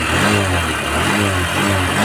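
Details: Honda SP 125 BS6 after fixing starting/stalling/missing problem by washing fuel pump and cleaning filter: engine revs up smoothly with an even steady note, no misfire or stumble; normal.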